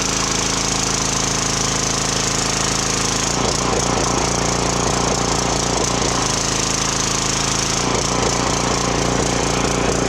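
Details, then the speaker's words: Briggs & Stratton 2900 psi pressure washer after a carb cleaning for hard starting, low power and only running on choke: loud steady engine drone that rises and sags off the trigger. This is common governor surging; the engine now runs normally. "Well, there we go. She runs good."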